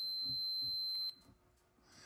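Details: Continuity beep while adjusting a 1964–66 Ford Thunderbird upper back panel limit switch off the car: steady high beep for about a second, then cuts out cleanly as the normally closed contacts open on turning.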